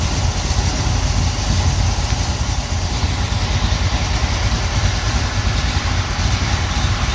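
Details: 1970 Pontiac Trans Am 469ci pump-gas stroker, Lunati hydraulic roller cam, Johnson hydraulic roller lifters, Performer RPM intake, 850 Holley: even lumpy idle about 700–750 rpm, slight exhaust crackle, no lifter tick; healthy fresh build.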